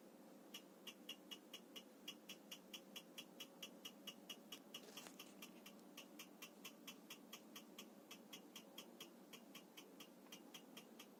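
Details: 3D printer while printing: sharp ticking about twice a second over the soft motor drone, an abnormal ticking that started after around 12 prints.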